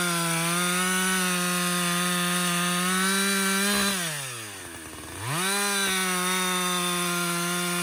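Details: Husqvarna 562XP 60cc chainsaw, after a dealer reflash of its software for dying when hot and stumbling, bucking windfall: strong steady full-throttle howl pulls down in the cut and snaps back cleanly; healthy under load.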